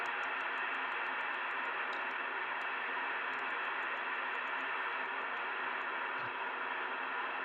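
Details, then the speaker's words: Two-metre band (144.000–145.990 MHz) receiver indoors with a steady rushing hiss and faint ticks, no clear signal. The digital-sounding QRM has no on-band source and no digital gateways are active; the signal lights fluctuate constantly. "C steps now you can see all this noise and it sounds like a digital noise now there's no digital gateways on at the moment there's nothing here on the Amer band that is causing this kind of noise"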